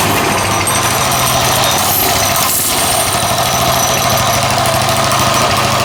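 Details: Coleman 196cc mini bike, a repaired customer return with a formerly locked-up motor, started easily fully choked. Rapid, even popping at a steady idle with no stumbles or knocks; it sounds healthy.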